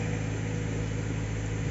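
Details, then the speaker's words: Subaru Forester that cranked without starting and had no fault code, after repairing a rat-chewed fuel pump wire: cold start with a steady, even idle, slightly high, smooth rumble, no knocks or misses; normal idle. "Okay na siya mga idol cold start medyo mataas yung Menor pero Babayan Ayos na siya"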